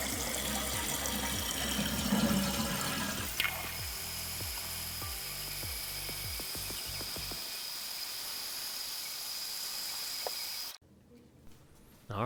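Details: Toilet flush after the flapper was replaced with a Korky rubber flapper and its chain shortened: a strong rush of water drains through, fades, then gives way to a steady refill hiss, a full, normal flush.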